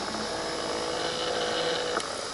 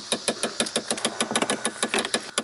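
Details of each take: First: 2015 Chevrolet Impala Limited after replacing the HVAC blend door actuator behind the passenger-side dash, which had clicked from worn gears: faint steady small-motor whir ending in one soft stop, no clicking, normal operation. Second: Rapid, sharp dry clicks, about six a second, from the passenger-side dash behind the glove box on a 2015 Impala Limited: the HVAC blend door actuator's gears are worn; the actuator needs replacing.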